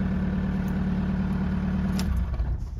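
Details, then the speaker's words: 2003 VW Jetta ALH TDI diesel right after starter replacement, charging 13.9 volts, about 1100 rpm: new starter cranks faster, then a steady, even low diesel clatter at idle with no misses before shutdown; normal idle. "starts way faster too that starter sounds like it's really putting off some uh some juice now"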